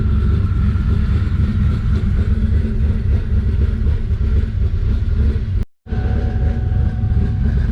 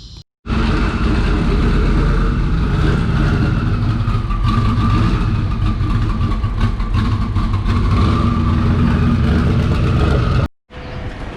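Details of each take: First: Twin-turbo Mustang Cobra: deep heavy idle pulsing unevenly, idling well after a rev then degrading; owner sees the IAC valve open, mixture go lean and vacuum drop, cause unconfirmed. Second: Twin-turbo Mustang Cobra with IAC valve stuck wide open, its feed hose snapped shut: steady, even low rumble at settled idle with no hunting or surging; normal idle with IAC line closed off.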